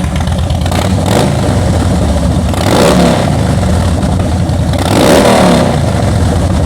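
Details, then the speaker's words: 2013 Harley-Davidson Heritage Softail salvage-auction bike after wreck, exhaust recorded: deep loping idle revved twice into clean, strong revs dropping back smoothly; big twin healthy. "All right, that sounds pretty good, guys. Sounds uh sounds real good."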